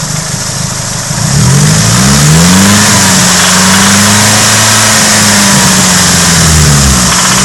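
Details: Nissan 180SX/Silvia SR20DET redtop: rapid metallic knock, seeming to come from the head, only between 2000–2500 rpm, rising with revs; found to be worn big end bearings.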